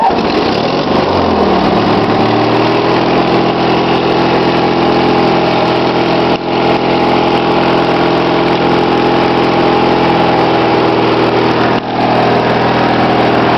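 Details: Snapper LT16 lawn tractor just cold-started after sitting all night, no battery charger, choke and some throttle: catches and settles into steady, even idle with no misses, knocks or ticks; runs clean from cold.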